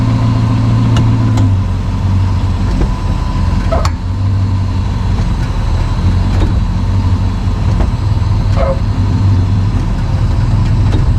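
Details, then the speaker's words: 2006 Dodge Magnum in gear from idle: steady rumble with a single dull thud/clunk as it engages, from the rear differential shifting on a loose front diff bolt after recent axle/driveline/diff work; bolt possibly meant to be single-use. "well so it looks like the diff is loose doesn't it that front bolt you know i heard another youtuber say that's supposed to be replaced it's a one-time thing"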